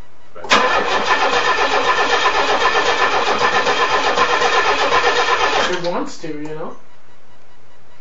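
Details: Nissan Z24 engine, first start attempt after head gasket replacement, turned by hand with heads off, owner believes timing still correct; starter spins steadily about four beats a second for five seconds, never catches: crank no start, cause unconfirmed.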